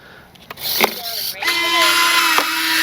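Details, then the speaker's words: Flightline 1600mm P-51D Mustang RC warbird, prop off, on the ground: whirring retract servo sweep settles into a steady buzzing hum, then a short final burst as the gear doors lock open; retracts cycling normally. "Nose or the tail wheel goes up and down a lot quicker. Hear that last little burst? That's them locking open."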